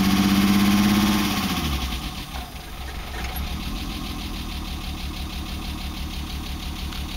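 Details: BMW E30 M20B25 with newly installed injectors and chip/ECU: idle with steady but lumpy beat about three pulses a second, uneven and shaky; rough idle.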